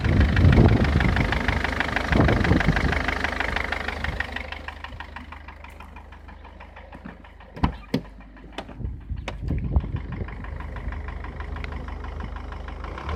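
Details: Mercedes Vito W638: loud start settling to idle with a repeating knock of about three or four beats a second over the rumble; engine knock, source undetermined.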